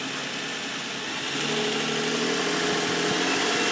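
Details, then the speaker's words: 2004 Nissan Quest parts vehicle with a light front-end hit, no damage near the engine. Smooth, even idle with a steady tone that lifts cleanly with a little throttle, no ticks or knocks; normal idle. "Motor sounds strong. Nice and smooth. Engine sounds great."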